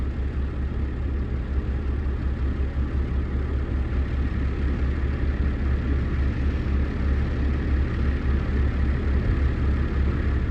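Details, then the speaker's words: Mid-1990s GMC TopKick truck with a blown engine, half-loaded with manure, barely driving: heavy, irregular low thumping with a stumbling beat, sounding like only about four cylinders firing; rough running. "it sounds like he's only running on about four cylinders so we shall see"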